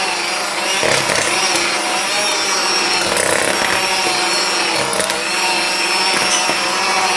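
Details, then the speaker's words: Aldi Ambiano cordless hand mixer on speed two in thick batter: motor whirrs then sags and labours, really bogging with little torque and slight heat felt on the unit. "right it's speed two you can hear it's really bogging it"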